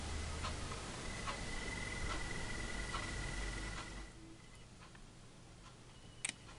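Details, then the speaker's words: Homemade cooling fan mounted on a ZD-10D soldering "third hand", current-limited by a resistor (about 100 Ω), with a capacitor added: a thin, steady high-pitched whine over faint fan hum that fades as it slows. Fan whine at low speed. "вот слышите Надеюсь слышно вам писк вот так вот с конденсатором всё равно"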